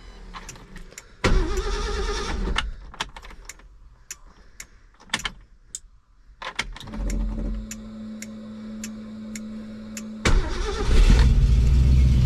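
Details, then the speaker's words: 1966 Ford Galaxie after EFI and 6-speed swap, untuned: short crank, catches quickly and settles into a smooth steady low rumble; starts and idles fine. "So, still running pretty good considering it hasn't tuned at all. Starts pretty nice. Sounds excellent."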